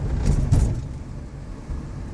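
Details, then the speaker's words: Volkswagen up! with I-Motion transmission, past 10,000 km, driven over rough ground: quick loose clunks above low cabin rumble, a loose part rattling inside the right door; exact cause unconfirmed. "Eu consegui passar num terreno irregular e deu para ouvir o barulho, e eu vou mostrar aí o barulho que está fazendo, tá?"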